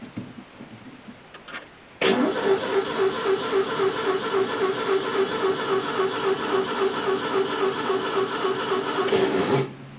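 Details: Car recorded from a backseat camera: the starter cranks evenly for about seven seconds at roughly four beats a second, but the engine never catches; crank, no start.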